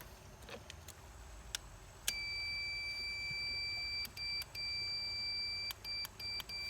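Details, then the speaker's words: Husqvarna YT 21 HP riding mower starter solenoid under test: a clear continuity beep holds steady with brief breaks as the leads shift, and the solenoid clicks. It passes current and tests good. "Okay, I could hear it. So that's good. That's a good one. It clicks."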